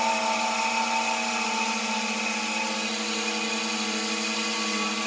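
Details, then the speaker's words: Shallow-well water pump started after six months idle, with the valve cracked slightly open while priming: steady motor hum with a high hissy rush as trapped air bleeds out; pump drawing air while priming. "I'm going to open the valve up a little [Music] bit hear the air trying to come out"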